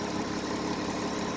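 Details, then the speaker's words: Car with broken vacuum hose, would not shift and showed no RPM: steady, even idle, smooth unbroken hum with no knocks, ticks or hiss; engine running fine despite the hose. "Just start the engine. Okay. Let's check this. It's not biggie, it's running well."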